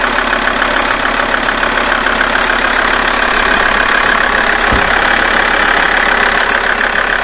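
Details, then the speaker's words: Alfa Romeo 159 diesel, cold start on a jump pack after weeks of sitting, following a repair of earlier horrific-sounding starts: even diesel clatter at about 200 beats a minute, steady and regular. Normal healthy cold idle. "That sounds exactly what a diesel engine should sound like."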